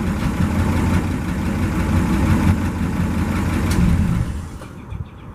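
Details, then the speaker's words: 1963 International 549 V8 idling on the gas tank through the old carburetor, no coolant: rough idle loping about three beats a second with a dull flapping rub from shredding drive belts before shutdown; new belts needed. "Sounds like some belt issue too. The belts have started shredding. We'll need to get new belts before we run it much."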